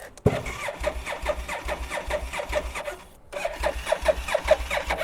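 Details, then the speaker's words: Japanese import motorcycle twin fresh from a shipping container, fuel drained for shipping: starter churns about two and a half beats a second, pauses, cranks again, never catches; crank no start, no fuel. "this is probably a good time to tell you that we did realize that they drained the fuel out of most of these"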